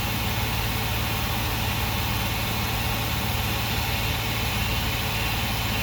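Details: Workhorse W22/W24 chassis 8.1 Vortec with radiator blocked off, engine at 225°F: loud steady airy roar over smooth idle, no wobble or slipping, as fan clutch locks up late (expected near 205); normal engagement.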